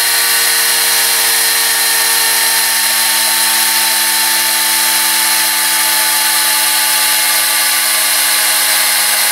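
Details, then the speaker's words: Homemade Tesla turbine on compressed air, pressure down to about 20 psi: high, steady whine holding its pitch without wavering or rubbing; the turbine is still cruising along smoothly. "boy so you can see even at 20 psi this thing is still cruising right along"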